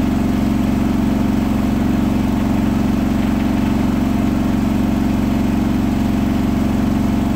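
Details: Hotpoint washing machine at full 1400rpm final spin: heavy, fast throbbing about four beats a second over a deep hum, after a bath sheet rolled during slow balancing then was thrown to one side, leaving the drum unbalanced.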